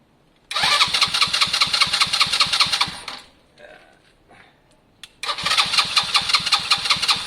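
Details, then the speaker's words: Lexmoto Valiant motorcycle converted from EFI to carburettor: steady starter whirr, about two and a half compression pulses a second, never catching; crank no-start because the spark plug cap was disconnected. "oh oh spark plugs not yeah spark would help and we're back"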